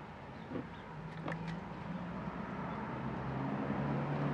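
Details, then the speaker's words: BMW E65 wheel hub spun by hand with the brake pads backed off the disc turns with only a soft, even whir and a few light clicks, no grinding; the wheel bearing sounds fine. "perfectly quiet bearing sounds fine"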